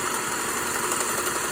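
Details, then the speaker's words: Fully serviced Singer 401A sewing machine sewing a built-in decorative stitch: soft, even whirr with light quick patter, no knocks or grinding; quiet, normal running. "I really like this machine. And you can also hear it's not a very loud machine for, you know, look at that."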